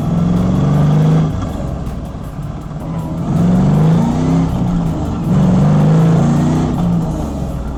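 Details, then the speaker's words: LS1-swapped Mazda RX8 on its first road trip, accelerating: a deep droning boom swells and fades at certain rpm. Owner suspects the exhaust is hitting a resonant frequency; fourth-gear whine is now reduced. "I think my exhaust is hitting like a resonant frequency where it's like vibrating really bad. at certain RPMs."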